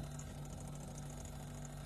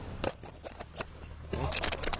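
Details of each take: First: Single-door refrigerator serviced for not cooling at all: steady, quiet low hum running evenly with no clicking or cutting out, refrigerant flow audible and evaporator turning cold; compressor running normally. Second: Start relay from a single-door refrigerator that wouldn't cool at all, shaken by hand: loose sandy rattle in irregular bursts, showing the relay has failed internally; fix is replacing the relay and overload.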